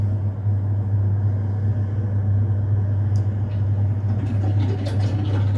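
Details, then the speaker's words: Alpha C23 boiler running on heating and hot water just after the fan starts and the burner ignites: a steady, deep drone holds level with faint clicks while the pressure rises and it gets quite hot; fault not identified. "you can hear that noise you can see the pressure going up so it's getting quite hot"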